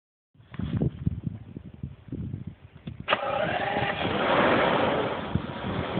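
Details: 1995 BMW 750iA M73 with 170,000 km, rough lumpy cold-start idle felt in the chassis, with irregular light metallic tapping from the lower passenger side of the engine bay; the seller suggested a possible exhaust leak, cause unconfirmed.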